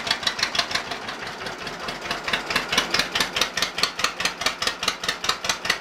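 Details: Cold startup of an old Case RC or John Deere 50 tractor (the John Deere reportedly runs better warm) idling with slow, sharp, even exhaust pops about three a second; healthy two-cylinder ticking over cleanly.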